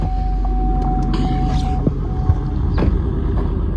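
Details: Suburban cold start at about -10 degrees after sitting, on a new battery after unplugging the blower motor resistor that was draining it: it catches and settles into a steady, even idle with no misses, knocks or stumbling; normal cold start.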